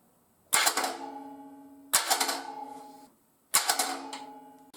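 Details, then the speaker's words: 10-year-old mobile welding generator left outside uncovered for years, cranked with no carburetor or fuel line: three short bursts of clattery whirring without catching; starter spins but does not engage, suspected to need lubrication. "all right so the starter is turning over but it's not engaging so pull the starter off probably just needs to be lubricated"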